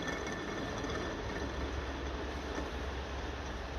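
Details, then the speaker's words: 1957 Ferguson FE35 TVO tractor charging system, running: steady rough rumble, hiss and low drone, with a gritty dynamo; owner suspects a worn dynamo commutator and worn bearing causing poor charging. "know, be struggling with the charging system because the dynamo is just not putting out that commutator is just too worn."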